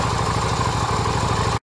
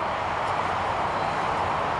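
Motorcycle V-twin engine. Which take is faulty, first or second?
first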